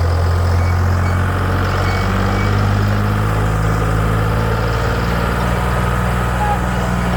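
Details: Detroit 6V71 two-stroke diesel in a 65-year-old Allis Chalmers HD14 crawler, first cold start after 24 years idle (it once ran away; governor thought stuck at full fuel): deep, even drone at steady low pitch, no knocks or misses; running smoothly.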